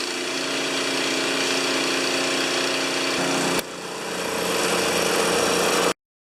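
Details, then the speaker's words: Honda GX160 engine on a wheelbarrow air compressor (customer suspected a governor fault) running smooth and even at speed while pressurizing, brief drop mid-clip then pulls back up before shutoff; normal running. "After it starts up and pressurizes, it goes back to idle and it sits there and waits for you to use air and then kicks back on again and so forth."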